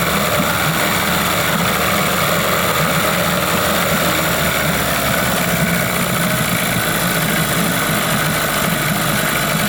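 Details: 1998 Johnson 15 hp (run as a 9.9) two-stroke outboard that pees water yet overheats; the pump works well at high idle. As the idle is lowered it settles to a low, uneven, loosely burbling beat and runs rough. Later inspection found a restricted exhaust-plate water channel, possibly from gasket goop.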